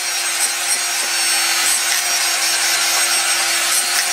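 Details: Ryobi TR-31 laminating router bought at a yard sale, running: steady high whirr with rough gritty hiss and uneven flutter, dims the lights; worn motor bearing.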